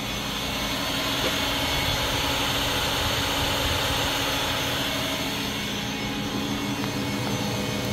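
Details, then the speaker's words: Spindle of a 1999 Miyano BND 42C5 lathe running at 3,000 rpm, giving an even, constant whir with a steady low tone and no grinding, knocking or wavering; normal spindle running. "And I'm going to just start the spindle at 3,000 RPM."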